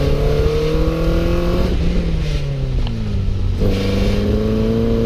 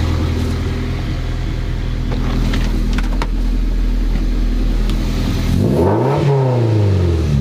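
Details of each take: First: Toyota MR2 Spyder after engine swap, cheap used exhaust: coarse buzzy rattle under heavy acceleration or engine braking, revving hard through gears; suspected tip touching cat, traced to broken baffle inside one muffler, replaced with resonator. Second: Toyota MR2 Spyder after replacing a muffler with a broken internal baffle with a Top Speed resonator; steady idle rumble and clean rev, no rattling heard, pipe touches catalytic converter pipe; normal exhaust note.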